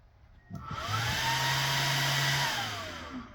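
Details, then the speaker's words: Single small 12 V vent fan for a camper, run off a battery: spins up to a steady airy whoosh with a low hum, running smoothly but noisily; normal fan run. "They're very noisy, which I'll demonstrate here on this battery."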